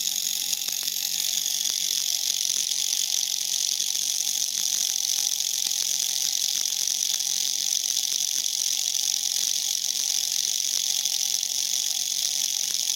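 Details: Tiny brushed motor from a class kit rated for 1.5 V, driven at 32 V and about 1.8 A: a thin, steady high-pitched whine with faint ticking and no low end. Motor overspeeding and heating from overvoltage.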